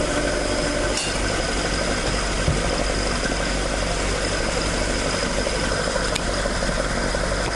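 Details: Toyota AE86 with 4AG engine after exhaust leak repair, stock exhaust sound: steady even idle, smooth exhaust note, no puffing or ticking leak; exhaust sealed and healthy.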